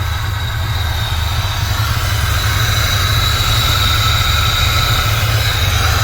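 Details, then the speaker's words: Turbocharged engine freshly rebuilt with new head gaskets, first start on a Terminator X ECU, warming up before tuning; lumpy idle with a thin whistle and hiss, a ticking sound, and an unusually loud wastegate. "Sounds like it's ticking. Wastegate's really loud."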